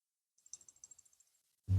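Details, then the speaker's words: Cold Steel Leatherneck SF knife gives about a dozen tiny, crisp ticks when wiggled; the rubber handle, originally tight, has loosened with use. "faz um barulhinho, mas esse barulho é do cabo. Esse cabo de borracha aqui, ele veio bem justo, mas aí com uso, ele começou a ter um jogo aqui."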